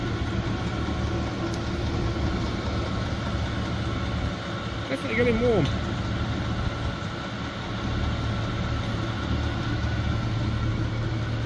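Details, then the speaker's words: Cheap Chinese diesel heater, now hot, with its pump pulsing faster and faster. It gives a steady, even low roar with a smooth hum and no surging or misfire; the heater is running normally. "I can hear the pump getting faster and faster and it's definitely hot now"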